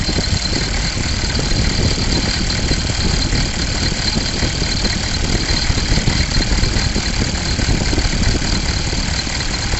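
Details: 6.5 liter diesel at idle with smoke coming from the crankcase: steady, busy rattle over its low drumming; cause unknown.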